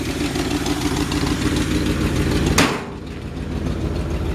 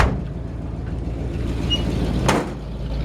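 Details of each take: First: 1952 Ford F1 truck with modified 351 V8, idling; deep, steady lumpy exhaust pulse with no knocks or ticks, heard at the rear, a small exhaust leak on the right side: normal healthy idle. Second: 1952 Ford F1 truck with modified 351 V8, idle, microphone near right-side exhaust: deep rumble with faint rhythmic puffing tick from a small exhaust leak under the right side; exhaust leak tick at idle.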